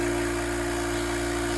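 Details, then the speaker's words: Single-head Copeland oil-lubricated dental air compressor (Apollo) after a part replacement, running up to pressure with the indicator green: quiet, steady, even motor hum with constant pitch and no knocks or rattles; normal running. "You'll notice just how nice and quiet the compressor is. It's very steady."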